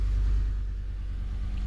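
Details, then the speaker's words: 2014 Ford F-150 5.0 Coyote V8 after replacing a torn coil pack that caused misfires: deep, even idle rumble with no stumble, throttle blipped; scan tool shows no misfires. "Let's give it a little bit of gas. Listen to that. Look. No misfires, man."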